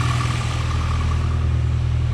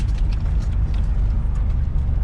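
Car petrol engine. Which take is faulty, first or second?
second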